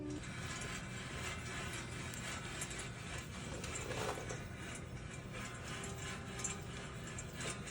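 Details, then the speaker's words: 2014 Chevrolet Caprice PPV with 160,000 miles, raised on jack stands with a front wheel turned slightly right. A worn front wheel bearing gives a continuous gritty, rumbling grind where it should be smooth; it was replaced as part of a front-end vibration fix. "that sounds pretty terrible bearing should be smooth and it's not"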